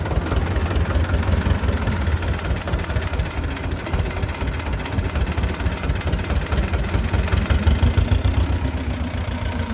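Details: Belarus 250 tractor, two-cylinder air-cooled diesel that sat for years with a no-fuel problem, at fixed throttle after reassembly: deep rumble swelling and sagging instead of holding steady. Owner suspects lift pump trouble; surging from fuel starvation.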